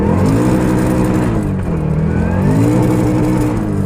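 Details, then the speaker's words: Toyota GT86 drift car fitted with solid transmission mounts: engine bounces hard off the rev limiter for a couple of seconds with a wavering, buzzy, harsh drone, as the solid gearbox mounts pass drivetrain vibration straight through. "As much as I want to, it's a bit harsh. Like on drift days when you're just hitting the limiter constantly, like I only hit it for like a couple of seconds there."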